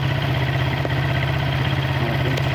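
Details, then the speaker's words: Suzuki Satria FU after fixing a reversed carburetor diaphragm spring (it was hard to start in the morning and died on initial throttle): now starts with one kick; steady, even single-cylinder idle, no hunting or misses; normal idle. "Motornya menyala, suaranya normal."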